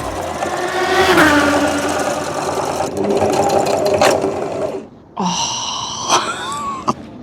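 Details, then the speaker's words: Sewing machine run flat out during a timed free motion embroidery session outdoors on a windy day: fast, busy whirring with wavering pitch that briefly drops and picks up; the operator slows down and suspects the thread tension is too tight. "Okay, let's not go at 110 miles per hour speed. I was getting carried away with the number 110."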